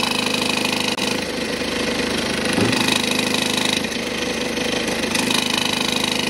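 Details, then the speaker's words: BMW 118d F20 diesel idling with severe vibration: busy metallic chatter about 220 a minute over the clatter, as the broken-off DPF bracket lets the exhaust neck loosen and rattle; front neck also cracked. "지금 요게 원인이이 DPF 브라켓이 떨어져 나가면서 아마 흔들림이 심해지고 모가지가 풀어진 거 같아요"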